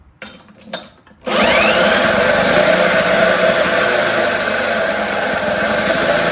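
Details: 1954 Lawn-Boy RPM 8FH13LB mower engine, sat about 50 years, running on a known-good carburettor with the throttle worked by hand via a lever: after a short pull it catches and holds a high, busy, even buzz with no misses or knocks; normal running.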